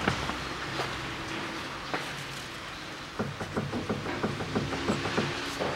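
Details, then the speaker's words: 2008 Nissan Qashqai 2.0 petrol, CVT, 4WD, 61,000 km, lifted with front wheels off: dull hollow clunks about three a second as the front anti-roll bar end link is rocked by hand; worn sway bar links knocking over rough gravel, being replaced. "Когда переезжаешь по кочкам Ну не по кочкам по неровности просто по гравийке едешь это как раз говорит о неисправности стабилизатора"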